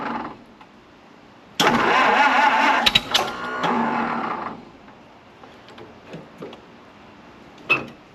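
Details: 1929 Ford Model A Doodlebug, radiator fitted, about to drive: engine suddenly roars to full revs for about three seconds then drops; stuck at full throttle after running well before, owner wonders if timing slipped, cause unconfirmed.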